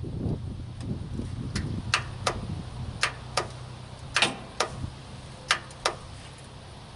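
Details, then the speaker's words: Zero-turn lawn mower starter solenoid, mounted on the frame: sharp, irregular single clicks with no cranking; failing solenoid; fix is replacing the solenoid. "let's see if it'll act up for me what it's been doing is just clicking and not starting"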